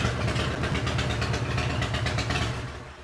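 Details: 2005 Harley-Davidson CVO Fat Boy back from a test ride around the block after replacing a stripped clutch hub, the clutch and the bearing; lumpy, even V-twin idle at about three pulses a second with no clatter or grind. Shifted into neutral, and it later ran 10,000+ miles fine.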